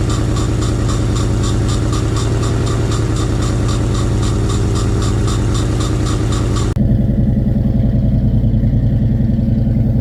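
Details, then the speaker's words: 1986 Fox Body Mustang 302 five-speed, sat 15+ years, running on sprayed fuel with intake off, fuel pump not yet working: steady low even idle, puffing a bit, possible exhaust leak suspected, then cuts off; normal idle. "She's puffing a little bit. I wouldn't think it would be cammed, but it sounds pretty good."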